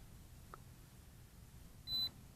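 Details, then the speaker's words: Holy Stone HS360D drone remote controller powering up and connecting to the drone: a faint click, then one short, high, clean beep in a quiet room; remote controller beep. "And it's going to start beeping because they're connecting there."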